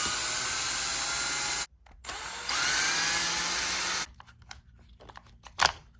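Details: JLB Cheetah 1/10 brushless RC car: shrill motor whine in short throttle bursts with a rough, crunchy grind underneath. The diff case is cracked, two bearings have popped, and the motor mount is loose and bent.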